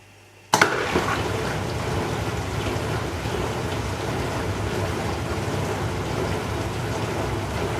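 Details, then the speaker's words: Dishwasher after the sump was reattached to fix a suspected mechanical seal leak: after a click, steady, even rushing and splashing with no rattle or pump grinding. The circulation pump is running normally, no dripping. "so as the sump finished and this is now the filling routine we'll see if it gets all the way to uh running the circulating pump without dripping"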